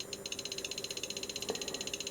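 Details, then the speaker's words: Arduino Geiger counter with LiPo, near a probably radioactive US Army Signal Corps I-81-A indicator: sharp ticks about a dozen a second, far too evenly spaced; firmware bug, likely a delay in the sketch pacing the counting. "it is clicking away there well you can hear that but one thing bothers me that that click is is far too too regular"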